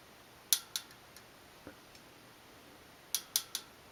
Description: This is a new rear Shimano Dura Ace C24 wheel with an Ultegra cassette. It has been making a snapping/creaking/popping/metallic pinging sound under pedaling load.